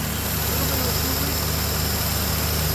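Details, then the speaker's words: 1966 Renault Dauphine small four-cylinder, fresh fuel still reaching carburetor, automatic choke, idling: soft, fairly even putter with a little exhaust hiss, some smoke; sounds like a sewing machine, healthy idle. "Sounds pretty good. Sounds like a sewing machine. We got fresh fuel."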